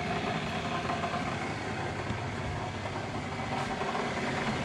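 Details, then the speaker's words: Vintage Sioux valve grinder, repaired: steady, even motor hum with no knocking or rattling. After earlier rattling, it is now running smoothly and normally. "see like right now it's running just fine"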